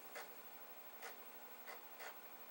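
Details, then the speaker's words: Commodore 1541 floppy drive running a check disk program. Faint steady hum with short scratchy buzzes every half to one second as the head steps back and forth; normal head stepping. "But certainly it is working. I can hear the drive head going back and forth, back and forth, back and forth."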